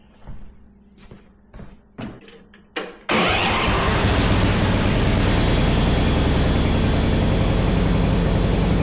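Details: Yard Machines 638 RL riding mower after new spark plug, before warm-up and oil change: a few clicks and cranks, then catches and settles into a steady, even run with no misses or knocks.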